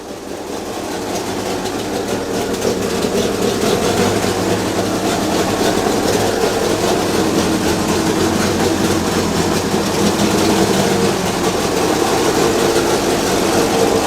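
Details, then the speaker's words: 1932 Morris Minor four-cylinder sidevalve, not run in years, no coolant so warming up and kept brief, little exhaust fitted: settles into a steady, even, fairly quick idle; running cleanly. "oops that's not too bad considering there's not much exhaust on it it's all right that sounds all right like this that doesn't sound bad at all"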